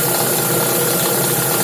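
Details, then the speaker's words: Lada Vesta with Valeo clutch at idle, around 60,000 km driven with it: steady dry metallic rattle like belt chatter, seeming near the belt but coming from the clutch housing; clutch disc damper springs rattle, harmless per owner. "Похоже, как ремень типа трется там или еще что-то, но это диск, это именно звук диска сцепления."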